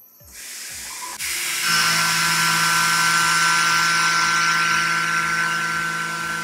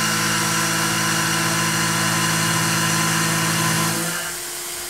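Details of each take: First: Tormach PCNC 1100 milling aluminum with a Maritool 1/2" 3-flute carbide roughing end mill, 0.3 in depth of cut at 18 in/min (about half horsepower); steady even spindle hum with clean cutting hiss, no chatter or bogging; easy, normal light cut. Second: Tormach PCNC 1100 cutting aluminum with a 1/2" 3-flute carbide roughing end mill at 0.3 in depth, 35 in/min feed: a steady high whine with about four cutting chatter pulses per second, deepening slightly. Spindle straining more under heavy load but coping.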